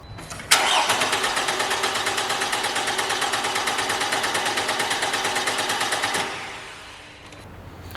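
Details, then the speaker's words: Car with the 20 A fuel pump fuse pulled from the engine-bay junction box to depressurize the fuel system before fitting a pressure gauge. Steady even starter cranking for about five seconds with no firing; cranks but no start. "All right, so we pulled our fuse, we took power away from the fuel pump, we were able to crank it. This particular car did not start."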